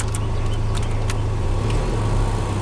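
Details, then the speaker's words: 2.4L Toyota Tacoma at idle after EGR port cleaning for P0401 EGR flow insufficient; previously shook badly and revved loudly with AC on. Smooth, steady low idle with only a slight rise as the AC engages; normal idle-up with AC on. "Just had that little jump up. That's all you want to hear."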